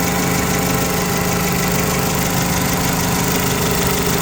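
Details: 2008 Mitsubishi Caterpillar 5000 lb dual-fuel forklift during pre-delivery inspection, running on gasoline: loud constant idle, even low drone and steady beat, no knocks or hunting; normal idle.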